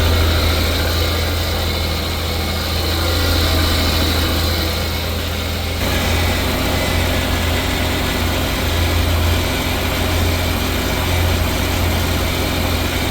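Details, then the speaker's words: Daewoo/Chevrolet Damas van, about 39,000 on the odometer, engine not yet warmed up; even steady idle with smooth low rumble, no ticking, knocking or misfire, running well after piston ring job (kolsavat). "Mashina yaxshi, ko'nglimizdagidek chiqdi, xudo xolasa. Bundan keyin ham yaxshi yurib bersin."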